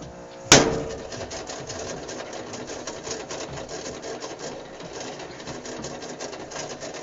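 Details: GE washer model WLSR3000GWW with failing timer: sharp knock then steady rasping buzz with a fluttering edge from the timer; machine would randomly stop until whacked.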